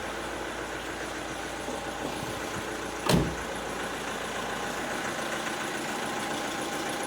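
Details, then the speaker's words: Opel Astra H 1.7 CDTI diesel after engine control unit replacement, immobiliser coding, and DPF and EGR removal (had misfire, hunting revs, glow-plug lamp flashing), cold start next day after sitting: steady, even idle with no misses, no errors; normal idle. "Так, дивіться, наступний день. Завів ластівку. Помилок немає. Все добре."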